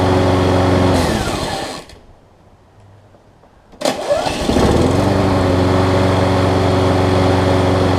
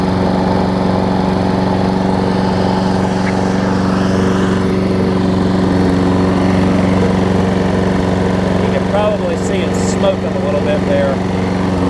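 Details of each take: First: Troy Bilt self-propelled push mower with a Briggs & Stratton Quantum engine, fitted with the wrong auto-choke carburetor instead of the required primer-bulb carb. The primer bulb delivered no gas, so it runs only on starting fluid: it dies off, restarts, settles steady, and smokes slightly. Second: Troy Bilt self-propelled mower, Briggs & Stratton Quantum engine, after correcting the wrong auto-choke carb to a primer-bulb carb, running warm: a steady, even drone with no misses or surging. It smokes a little, which the owner attributes to running without an air filter.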